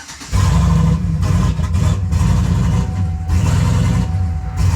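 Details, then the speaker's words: Turbocharged GMC V8 truck, cold start: engine catches then surges with a lumpy, hunting idle, running rich and lean all over the place while timing tries to correct the idle, then stalls; short-term fuel trims adding about 25%; runs much better once warmed up. Cold start stall, cause unknown. "Listen to this thing. Stalls. It's rich and lean, like all over the place. Timing's trying to correct the idle."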